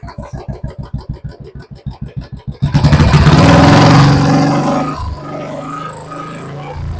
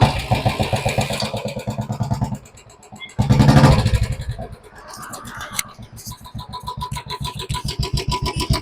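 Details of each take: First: Royal Enfield BS4 engine with hydraulic tappets, checked for tappet noise after topping up oil before an oil change: even, steady single-cylinder thump with no tappet tick, picks up and settles; normal sound. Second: Royal Enfield BS4 single-cylinder: steady thump with a constant light ticking that persists through blips and is present full time, including at morning cold start; hydraulic tappet noise from low oil level.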